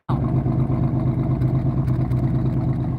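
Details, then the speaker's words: Project flip car running slightly warm with a rough idle and dual exhaust tips: deep, throaty revving with uneven little pops and crackles on the exhaust note. The popping is suspected to come from old gas; fresh gas is planned. "again you can hear it pop a little bit and stuff like that and i think that's just due to the old gas"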